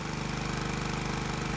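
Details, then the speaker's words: Small engine on a dyno under resistor load at 20 A per switch, governed at exactly 3000 rpm, 28° total advance: steady, even firing at constant speed with no misses or knocks. Normal governed running under load. "now that we have the engine loaded i need to adjust the rpm to exactly 3000 it's a bit touchy but once adjusted the governor will hold the engine at the desired speed"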